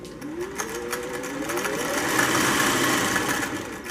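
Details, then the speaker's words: 1950s Singer 401A Slant-o-matic before its foot pedal contacts were serviced. The motor moans low, then its whine jumps quickly to near full speed with almost no variable speed control in between. Faulty pedal speed control. "variance and when we were using this machine earlier tonight is very little speed variance it was sort of just kind of a little bit there you hear the motor moan a little bit and then bang it's off and it's running and nearly full speed"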